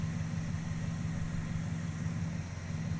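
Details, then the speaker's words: Charger engine at idle, visibly jittering with the ignition wire shaking: a low, uneven, loping idle with a slight stumble. The owner suspects a blown right-bank head gasket or a stuck valve; the cause is unconfirmed. "But something's weird. The more you look at it, some weird stuff happens. I don't know if you guys can see, the motor is kind of jittering around a little"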